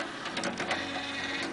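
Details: Laptop CD drive on a Dell working normally after a manual pin eject and restart: steady mechanical whir with light seek clicks.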